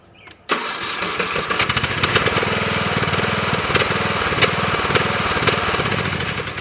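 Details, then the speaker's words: Briggs & Stratton mower engine fitted with a chainsaw compression relief valve: catches at once with the compression relief audible, settling into a steady, even putter with no stumble; healthy start. "but if you also listen when I start you can hear the compression being relieved"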